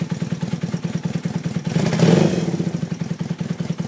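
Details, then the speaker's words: 1982 Honda 450 motorcycle, about 34,000 miles, warmed up a bit: steady even thumping idle swelling in one gentle blip around two seconds then settling; normal light revving. "i gotta hold the clutch in this crank it runs good though i already warmed it up a bit so"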